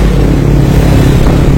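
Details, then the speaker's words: Carbureted Yamaha Mio scooter, weak and losing power after overdue oil changes, revving with a heavy, rough snoring engine note from a worn camshaft; noise grew worse over time. "sekarang sudah mau ya tapi suaranya ngeri ya suara di bagian mesinnya ini sudah ngorok ngorok parah untuk dibawa ngebut ya kurang berani lah"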